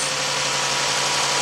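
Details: 2011-2015 Jeep Grand Cherokee 3.6 after water pump replacement: smooth, even idle with a steady hiss and no knocks or ticks; engine running healthy and settled.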